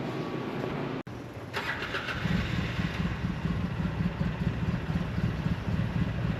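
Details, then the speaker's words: 2008 Polaris Sportsman with tracks on a very cold day, after installing a new fuel pump sending unit for a flashing-screen fault: fires up after a short crank and settles into a steady, even idle with no stalling; running fine. "seems like it's working pretty good"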